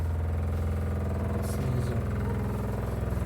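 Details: Hot water pipe from the boiler, running under the bath, vibrating: a steady deep drone with a faint buzzing pulse.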